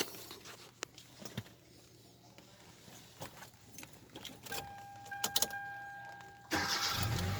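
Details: 2011 Hyundai Elantra with a hard-starting problem, after replacing the ignition switch: keys and a few clicks, then the engine catches at once and settles into a steady, even run; normal start.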